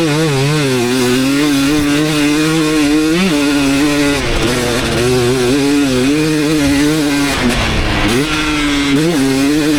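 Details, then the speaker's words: 2019 KTM 250SX two-stroke after tuning its Lectron Billetron 38 Pro carb: crisp, clean revving that rises and falls smoothly with no hanging revs; detonation almost gone, faint hint only when hot, possibly needing an eighth turn on the torque jet. "oh all right so I think I really hit the sweet spot that last one pretty much no detonating anymore"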